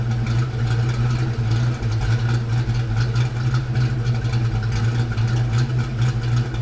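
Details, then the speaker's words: Foxbody Mustang V8 after cam swap, idling; light quick ticking at engine speed over steady idle, worse as engine warms; owner suspects loose rocker or stuck lifter. "Alright, so I don't know if it really is showing up on the video or not, but there's definitely a bit of a tick over here. Like I said, I'm going to use that stethoscope and see if I can hunt it down. It seems to get a little bit worse as the car warms up."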